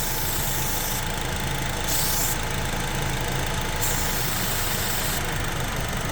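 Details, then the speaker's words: 2012 Honda with codes P0302/P0303 after coils and spark plugs swapped; starting fluid sprayed at intake manifold base makes uneven lumpy idle stumble and shake with hissing spray bursts, vacuum leak suspected at intake manifold gaskets/injector O-rings. "and now start shaking I think we have a problem over here at the at the intake manifold right here the car shakes we're going to have to replace the the the seals and the inch Manu I think that's that problem"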